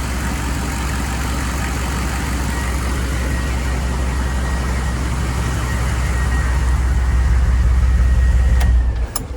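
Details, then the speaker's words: 1995 GMC 3500 HD 6.5L turbo diesel, hot restart after sitting about 15 minutes, with the replaced injection pump timed: smooth, even clatter at steady idle, no stumble or miss, quick to start. Normal idle. "nice and smooth quick to start uh just like we wanted"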